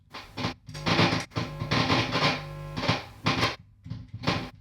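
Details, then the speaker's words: Tone King Falcon guitar amp, live and out of standby, with its tone pot unscrewed so it loses its chassis ground. Irregular crackle bursts over a low hum and buzz; the fix is tightening the pots to ground them. "it's crackling because it's getting a ground connection off and on, but hear that buzz?"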